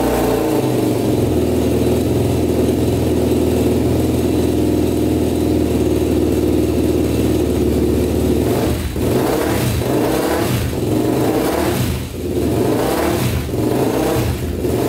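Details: 1999 Honda 400EX quad, single cylinder, rebuilt after stuck piston rings scored the cylinder (honed), run without turbo connected: fires, settles into a steady idle, then takes quick throttle blips about once a second; runs clean and responsive.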